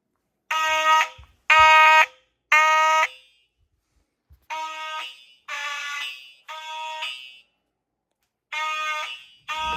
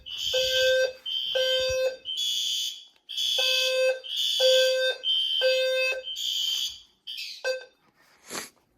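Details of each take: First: Simplex fire alarm system test: buzzy horn blasts about once a second, then a quieter, thinner series; horn weak, starved by too many devices on the notification circuit. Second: System Sensor fire alarm test (L series strobe, P2R, P2R LF, P2GRL): loud harsh horn blasts repeating about once a second with short gaps; horn-strobes sounding normally on test.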